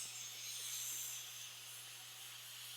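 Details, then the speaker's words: Pressure canner after 10 minutes of timed venting, just before the weight goes on for 15 pounds of pressure: steady, even hiss of escaping steam with no sputter or surging; venting normally. "Okay, so we've been timing the steam for 10 minutes now, and I'm going to put, this is our weight, it looks like this."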